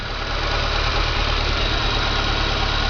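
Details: 1995 VW Pointer, idling after reassembly and fixing a noise the owner thought was internal engine damage: steady, even idle with smooth low rumble, no knock or tick. Normal idle.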